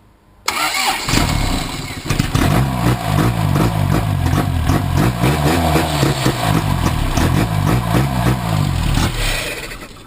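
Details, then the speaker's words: Engine at its first start after a rebuild, cranked out of gear with the clutch in; starter churns at about four beats a second with ragged catches that never take, then it dies; suspected fuel issue, unconfirmed. "it's a fuel issue I don't know what it could be"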